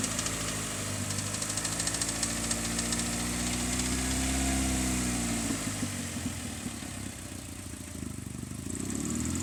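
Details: 2002 Hyundai Elantra at idle: light, fast metallic rattle over a steady engine hum, source unknown. The car is also burning oil.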